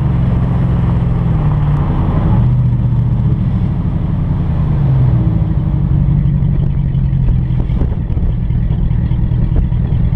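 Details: Hemi Ram truck with straight-pipe exhaust driving; loud, deep, steady rumble swelling with throttle, no knocks; straight-piped V8 runs clean.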